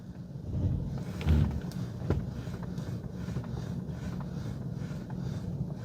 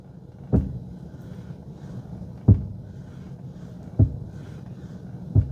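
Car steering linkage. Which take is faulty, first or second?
second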